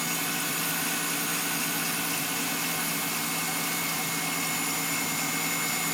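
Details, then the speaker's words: Thin, steady high whistle over an even, raised warm-up idle, heard through the closed hood but not with it open; it stops once warm-up revs drop; source unknown. "С открытым капотом ничего не слышно, откуда, чего. Через закрытый вот слышно прям вот этот свист."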